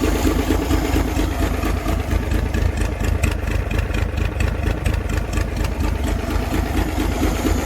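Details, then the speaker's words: 1962 Chevy K20 truck engine just started after cylinder head rebuild with lapped valves and a new exhaust valve: low lumpy idle whose beat stumbles now and then; owner hears a slight skip, a slight misfire at idle. "it's hard to tell but it sounds like it's got a slight skip to it aside from that I'm pretty darn happy"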